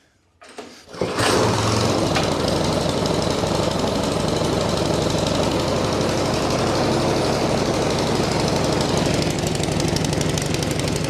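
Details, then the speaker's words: Troy-Bilt Storm two-stage snowblower that sat unused: small engine fires up, runs rough on full choke, then surges and hunts unevenly in the run position; carburetor removed. "choke I'm going to put it in run bottom line is it's got a surging problem"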